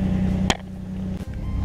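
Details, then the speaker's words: Project car after replacing a missing gauge fuse, showing really good oil pressure: steady, even low drone with no misses or knocks and one brief click; runs smoothly and sounds healthy. "so this thing's actually a run up this thing sounds good"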